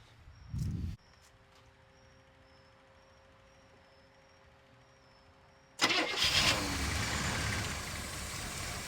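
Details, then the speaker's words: One-year-only square body truck, sitting over a decade. A few quiet seconds, then it catches instantly into a steady, even run; the engine starts and runs. "Trying to fill the bowl a little bit, but it fired right off. I cannot believe that."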